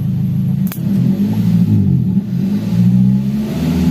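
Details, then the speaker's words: Daihatsu Gran Max revved at standstill: sounds choked and uneven, its pitch wavering instead of climbing freely. The catalytic converter is clogged. "Semoga saja, gejalanya cukup parah hingga membuat knalpot bergetar. Seolah-olah knalpotnya akan lepas."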